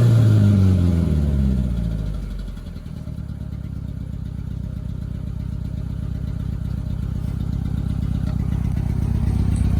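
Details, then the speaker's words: 1990 Mitsubishi Mighty Max after Sea Foam treatment and new fuel filter (primed three times), old plugs still in: low idle pulsing about four per second with an occasional stumble, still skipping on a cylinder but much smoother; engine misfire at idle. "I'm gonna say right off the rip, it's still skipping, but the motor sounds like a million times better."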